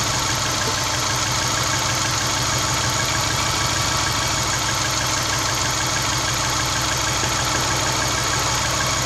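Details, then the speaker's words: Subaru Baja after removing, cleaning and lubricating the idle air control valve (previously idling high at 1,800–2,000 rpm and hunting): smooth even idle now dropping to 750 rpm, no surging; sounds healthy. "away my rpms drop down 750 the first time has done that in about three months"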